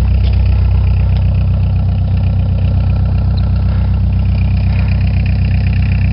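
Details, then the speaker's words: 1987 Ford Escort diesel after cold start at about 30°F, foot held down until all cylinders fired: steady low clatter at even idle, slight lope, all cylinders firing; runs good. "It runs good. You just gotta keep your foot on the floor till all cylinders start firing."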